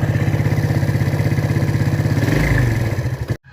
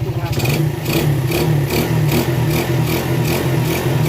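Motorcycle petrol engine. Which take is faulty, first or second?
first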